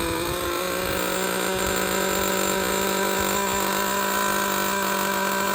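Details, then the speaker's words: Used Traxxas Jato 2.5 nitro RC truck with two-speed, idle gap opened slightly for more air: steady, high, even buzz holding pitch without stumbling or surging; running well with no air leaks. "all right we we don't need to listen to this one anymore this one is running good no air leaks I mean this is what you want right here when you buy a used RC car"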